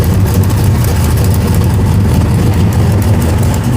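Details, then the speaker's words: 1968 Dodge Charger with 512ci big-block and aluminum exhaust, first fire-up: oil pressure comes up, deep loud lumpy rumble with open exhaust bark held steady, sounds rowdy; normal idle, though a serious leak was found right after. "We got oil pressure. We got oil pressure. Wow, that sounds rowdy. That sounds so good."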